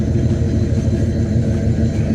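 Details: Box Chevy Caprice Brougham V8 with Edelbrock carburetor, previously popping from exhaust; cause was the spark plug wires, no timing or carb screw adjustment; now a deep, steady idle with no pops or misses.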